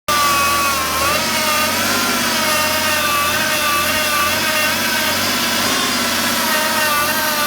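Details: 2009 BMW E60 535d diesel, running steadily: a wavering high whine around 1 kHz over a raspy clatter, heard near the power steering pump; cause suspected, not confirmed.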